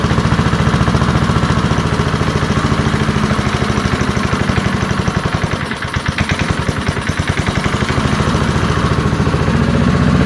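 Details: Early-1970s BF Goodrich push mower, a barn find that sat for years with a seized engine, now freed and running outdoors after carburetor diaphragm work: loud, rapid, even single-cylinder popping that dips briefly, then recovers and holds steady. Normal running.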